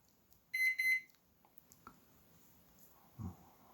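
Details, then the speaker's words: Microwave oven with door latch broken from slamming: three quick high beeps when started, then no magnetron or fan hum; owner suspects top door switch not making contact; beeps but will not start. "Now why it's supposed to run. It will not run. Okay, let me just check out what's going on. Okay guys, it will not run."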